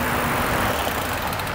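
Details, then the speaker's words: Mountain bike after restoring contaminated disc brake pads, during a bedding-in stop: only tyre and rolling hiss, the squeal gone, though braking power is still low and should return after repeated stops. "okay so you'll notice when I did that that squeaking noise is gone I still don't have a lot of power"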